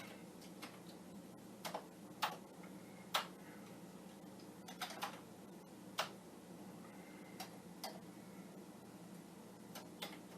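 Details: Commodore 1541 floppy drive of unknown origin, tested with a Vic-20 while formatting a disk. Sharp, irregular head-stepping ticks, about one a second, over a quiet hum, with the LED flashing. The drive fails to format and the cause is unknown.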